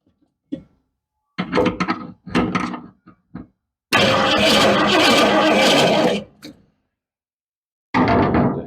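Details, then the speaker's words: Cougar project car, new spark plugs, fuel splashed in, spark present: short starter bursts then a two-second laboured crank that never catches; weak battery, charger needed. Slow cranking, no start. "So something's not right. Or to fire it up, but we're getting spark."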